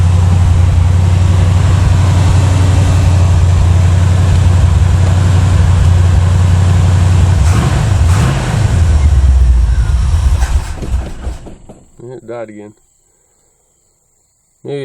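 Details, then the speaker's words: 1981 Chevy Malibu Classic barn find, 355 small-block V8 with Edelbrock intake and 600 carb, TH350, first start after 3+ years sitting: strong low idle holds briefly, then wavers, sags and stalls; owner suspects bad old gas in tank. "some bad gas in the tank I thought I ran it out"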